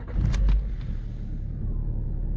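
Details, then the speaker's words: Lada Priora petrol engine started cold, idling: steady low rumble with no hydraulic lifter ticking (the owner says they tick when warmed at idle to about 70 °C), the belt rustles slightly, wind noise on top. "Ну гидрики вот пожалуйста ничего не стучит ремень чуть-чуть листит но гидрики не стучат"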